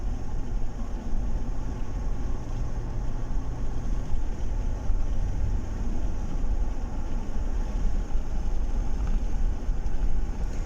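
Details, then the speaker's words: 2012 Chevrolet Tahoe after spark plug replacement and correcting an installation fault that caused cylinder 5 misfire: steady, even engine drone building under throttle with no stumble or jerk; now pulls smoothly. "ما شاء الله الآن عندي السيارة اختلفت، ما عاد فيه تقطيع، ما عاد فيه زي السحبية أو النتعة."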